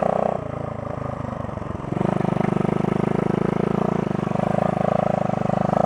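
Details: 1972 Honda SL125 single with new battery, cold start on handlebar choke: catches, then settles into a quick, regular putter that steadies; starts cleanly, normal idle after cold start.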